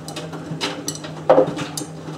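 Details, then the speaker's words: Miele W562 washing a small load of woollens on Minimum Iron 30°C with Short and Water Plus, during the conditioner rinse: irregular soft clunks as the drum turns are the tumbling detergent ball, which is normal and harmless. "the clunking you can hear is the detergent ball. So don't worry, I've not left something in my pocket."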